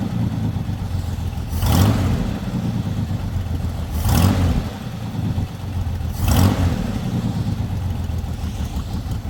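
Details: Lowrider V8 after the dipstick oil leak repair, now no longer leaking from the dipstick: low, even idle with three brief throttle blips about two seconds apart, each dropping straight back. It reaches idle faster than before. Normal idle.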